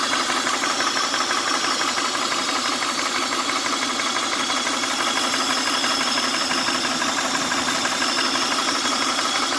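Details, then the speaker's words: 1999 Honda Odyssey idling: steady airy hiss over fairly even idle, no knock; owner suspects a vacuum leak underneath the intake manifold, unconfirmed. "Does that sound like a air leak?"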